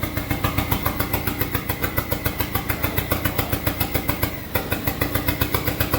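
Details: SRT-4 engine swapped into a drift truck, first test start with smoky exhaust. Loud, uneven pulsing at about 3.5 beats a second with a brief dip. Rough idle because the throttle position sensor is missing, so idle can't be added.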